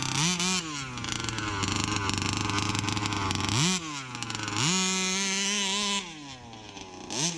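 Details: Brand-new Rofun Power 32cc two-stroke, outdoor run: snaps cleanly from idle to a high buzzing wail and back without stumbling; healthy, normal full-throttle running.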